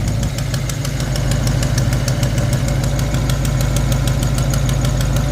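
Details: Foxbody Mustang V8 with new heads, lifters, roller rockers, distributor, spark plugs and header gasket, idling with the SPOUT unplugged: deep rumble with a sharp steady tick about three a second; sounds like an exhaust leak, quieter as timing is advanced, cause unknown.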